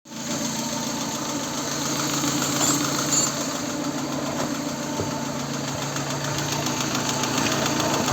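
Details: Hot VAZ 16-valve engine idling with a light, regular internal tapping (about 400 per minute) and low hot oil pressure (0.9 idle, 1.5 at 2000, 2.2 at 3000, 3.0 at 4000) despite new camshafts, oil pump, pickup, all bearings and lifters; cause unknown.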